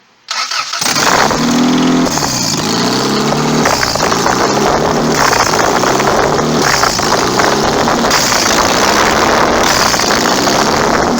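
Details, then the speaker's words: Budget turbo Honda Accord build, stock ECU and fuel system, no wastegate, just started: very loud, raw, crackling engine with harsh uneven pulses and rev swells. Running with essentially no exhaust. "all right don't have any exhaust really so we're not gonna drive very far"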